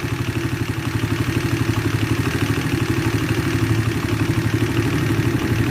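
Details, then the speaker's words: Shineray 50cc after the cam chain was replaced to cure an engine knock: small single-cylinder idle with an even, soft putter, about four beats a second, and no top-end rattle; normal quiet idle. "então é isso galera aqui nós motorzinho dela da tá bem caladinho"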